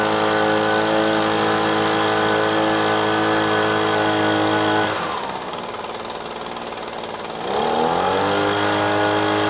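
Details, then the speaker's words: Echo PB-250LN handheld two-stroke gas blower that bogged down on throttle-up, after replacing the fuel and carburetor adjusting-screw tweak with a modified screwdriver: steady high buzz drops cleanly when throttled back and picks up smoothly without bogging; normal throttle response. "all right I think that was a ticket changing out the fluid then exposing that little adjusting screw getting it adjusted just right looks like it's working just fine"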